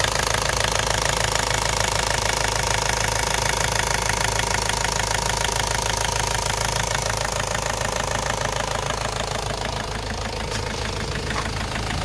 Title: Ford Focus mk1 1.8tddi engine knocking (solved)